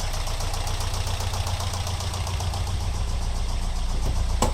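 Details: Alfa Romeo 166 2.0 TS, knock began after head gasket replacement; tappet buckets ruled out, variator checked; stethoscope places it on the right side near cylinders 3 and 4: light even tick about four per second over idle hum; engine knocking at idle.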